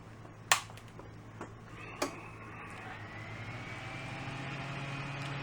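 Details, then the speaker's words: Fan that struggled on APC Back-UPS 450 battery power: after AC line power is restored and clicks are heard, a faint motor hum climbs steadily as the fan spins back up, with the line at 120 V. "Pan's kicked up. We're reading 120. Same as the kilowatt."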